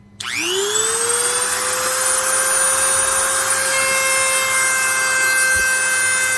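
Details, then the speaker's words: Dremel rotary tool after repair: spins up to a steady high whine and runs smoothly with little buzz; the loose motor field, which had worn into the plastic housing and vibrated, was shimmed with soft rubbery washers. "bit of noise still but really not too bad"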